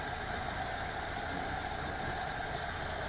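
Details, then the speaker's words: VW T3 2.1L flat-four after both heads were replaced following a valve grind for a burnt, leaking number two exhaust valve: quiet, even idle with a steady mid-pitched hum and no stumble. "nice and even running again with the heads replaced"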